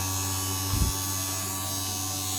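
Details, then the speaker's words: 1950s IEW Tara 16-inch vintage DC series-motor table fan run with its blades removed, so the motor has no load; a high, steady whine with a buzzy edge as it overspeeds and sounds strained. "So theoretically you cannot run a DC series motor without a load. So let's try it. Oh, nice."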